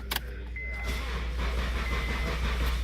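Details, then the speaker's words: Crank no-start: starter spins engine steadily at three to four beats a second but it never catches or picks up speed. "it won't turn over you've got a crank no start so you've figured out that you have a crank no start on your vehicle"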